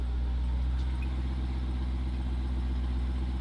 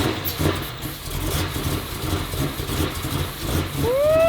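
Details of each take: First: 2018 Jeep Trackhawk, widebody, salvage rebuild with a swapped Demon engine and bigger supercharger: deep, steady, even idle rumble with no knocks, ticks or misses; normal idle. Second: Totaled Jeep Trackhawk swapped to a built Demon supercharged V8 with bigger supercharger on E85, first start: deep, lumpy, uneven idle that never settles, running badly and smoking.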